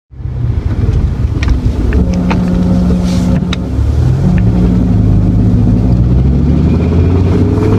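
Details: BMW E60 M5 after all four Vanos solenoids were replaced over Vanos codes and rough running, without the bleeding procedure: a drone with lots of uneven clicking on throttle and buzzing at idle; rod bearings were later blamed.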